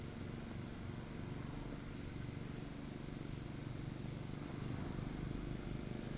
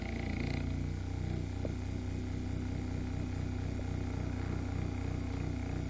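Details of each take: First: c.1897 Knapp Type D electric motor after minor repairs and cleaning, running with a makeshift brush: steady low hum with soft uneven throb about four times a second from rocking on its broken foot. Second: c.1897 Knapp Type D motor after minor repairs and cleaning, running with a makeshift replacement brush. Low even purr, soft steady pulse, no rocking clatter; sounds much better, maybe slight slop; normal running.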